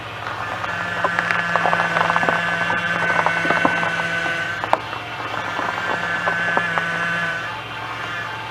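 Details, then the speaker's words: Chevy 3400 engine running, steering wheel turned: steady high whine rising over engine in two bouts from the power steering pump; low fluid suspected, fix is topping up the reservoir, else pump replacement. "The noise you heard was from the power steering pump, which is right here is where you fill it up at."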